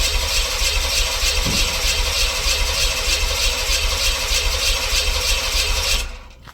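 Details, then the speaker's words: LT1 V8-swapped Jeep YJ cranks about six seconds with an uneven chug but won't catch; spark and compression present, runs on starting fluid, fuel pump heard kicking on; owner suspects fuel delivery or fuel pump, not confirmed. "And I don't know if you can hear it or not, but the fuel pump sounds like it kicks on, but it's not wanting to go."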